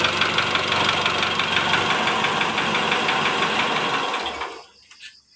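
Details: 2008 Mitsubishi Strada Triton GLS diesel idling: sharp tak-tak-tak about three knocks a second over the clatter until shutdown, louder when injector 1 is disturbed, silent on 2-4; piston slap in cylinder 1.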